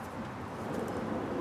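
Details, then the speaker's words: Boat trailer wheel hub turning: coarse, gritty rumble, loud while towing, plus play in the hub, indicating dry or worn wheel bearings, which are being replaced. "And if you can hear this, it sounds like the bearings are dry or worn. So I'm changing the bearings."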